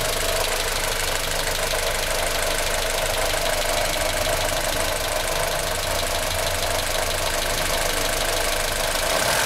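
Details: 1996 Australian-delivered Honda Civic EK Cxi, D16Y4 petrol engine idling; fast, uneven ticking-knock over a steady hum from the top right-hand corner of the engine; engine knocking noise.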